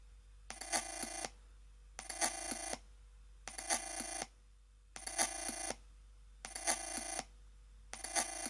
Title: Chromebook Pixel Ubuntu weird noises